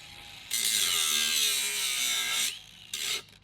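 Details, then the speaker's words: Bosch GWS 180-LI brushless cordless angle grinder loaded on steel, 4Ah ProCORE battery: high whine sags under load, cuts out, then one brief spin-up dies away; power loss as the battery goes flat after about 8 minutes, indicator flashing. "And again, if you listen carefully, you'll hear the loss in power just before the battery runs out."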